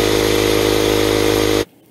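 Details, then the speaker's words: Air compressor running after replacement of its pressure switch with a universal Lefoo LF10A-4H unit: steady motor hum and even pump drone, no knocking or labouring, then clean shut-off; normal running, cut-in/out pressure then adjusted. "even though the compressor turned on it did take a series of adjustments to get it to the right parameters that i wanted"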